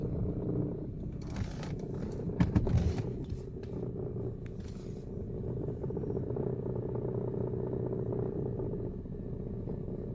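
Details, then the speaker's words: Inside the car before the fix: a low buzzing rattle hums steadily while driving, like an angry cat purr, mistaken for a failing transmission; a broken, loose exhaust heat shield over the driveshaft area, broken off in a snowy climate. "here's a bonus clip of how this broken heat shield sounded inside the car before it was fixed"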